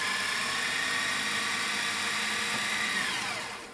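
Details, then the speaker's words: Sony SLV-N700 VHS VCR: steady high whirring motor note during fast rewind, winding down at the end; strong, healthy rewind. "we can hear the intensity with which he rewinds the tape"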